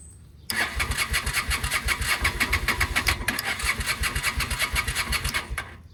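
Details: 2007 Honda Shadow after a new clutch: five seconds of starter cranking with uneven puffs that never settle into an idle. It knocked earlier and seized briefly during an oil check while running; oil was drained. Hard starting; cause unknown.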